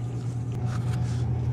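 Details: True T-23F reach-in freezer, loud when the compressor starts; coils, drains and fans look fine, the capillary tube and compressor appear replaced: a steady, heavy low hum stays loud from the start. Floodback or the compressor suspected, not confirmed.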